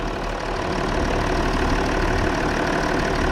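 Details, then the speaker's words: Range Rover Sport diesel in for intermittent restricted performance with fault codes P006A and P1247, idling outdoors in the rain: a steady, even low throb with no knocks, misses or manifold hiss; runs smoothly. "yeah sorry and she's popping away quite nicely though"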